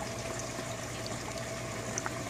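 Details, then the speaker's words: Aquaponics bell siphon on a grow bed draining, Venturi working underneath with bubbles; steady gurgling rush of water with low churning and bubbling as the level drops; siphon draining normally. "E esse barulhinho que vocês estão ouvindo é o Venturi que está funcionando logo aqui embaixo."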